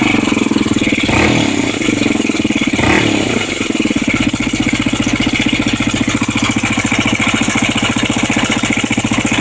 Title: Rattle Sound NX 250